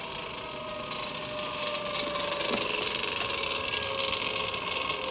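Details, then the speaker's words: Electric go-kart with Fardriver controller and QS Motors motor, during throttle auto-learn troubleshooting: unloaded motor whine with light, uneven metallic chatter as it spins, from the sprocket rattling loose on its mount. "noise you're hearing is actually just the sprocket rattling on there."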